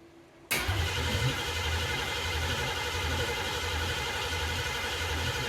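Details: 1969 Ford Mustang 302 small-block, first start after restoration: starter churns steadily about four beats a second with no catch; cranks but won't start.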